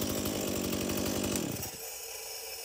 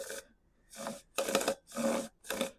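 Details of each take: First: Stihl MS170 chainsaw that previously would not shut off with the switch: runs evenly, cuts out cleanly at the stop switch, restarts and holds steady high revs; normal running. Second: Stihl MS170 chainsaw used for trenching, chain pulled by hand: short rasping, gritty scraping strokes like sandpaper from dirt; the chain rolls but is gritty, and the saw needs a new bar, chain and drum sprocket.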